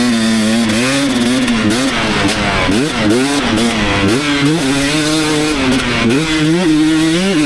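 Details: 2019 KTM 250SX two-stroke after dialing in Lectron Billetron 38 Pro carb torque jet: crisp clean revving, no pinging, revs drop without hanging; sweet spot found, maybe slight detonation only when hot late in session.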